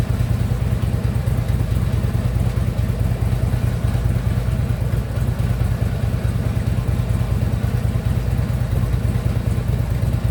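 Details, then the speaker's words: Harley Ultra Limited V-twin idling after new compensator installed, compensator now quiet; loose uneven knock low in engine under lumpy beat, checked with stethoscope, not on one side, source not pinned; lower end knock. "Something knocking a little bit, but it's not on this side. Let's see if I can't figure it out. Yeah, I can even hear it from here."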